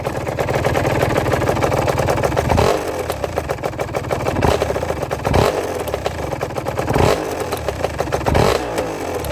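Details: Aprilia RS 125 two-stroke revving with a hard metallic clatter on each blip; an internal knock of unknown cause, even though the small-end and big-end bearings have been checked.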